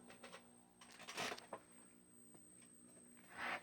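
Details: 1957 General Electric 14S208 black-and-white vacuum-tube TV, first power-up run straight on AC without the bulb; thin steady very high whistle through quiet clicks and handling noise, set barely alive with filter ripple and bad filter capacitors; squeal cause unconfirmed.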